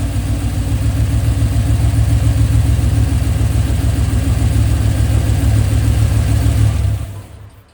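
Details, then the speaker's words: 2003 Silverado LS engine after the cheap, soft intake gaskets were replaced with name-brand ones. It had been running rough, backfiring and setting a mass airflow code. Now it idles with an even, steady V8 rumble and no stumble; normal idle after the repair. "Oh boy, that sounds so much better. Definitely needed the newer intake gaskets."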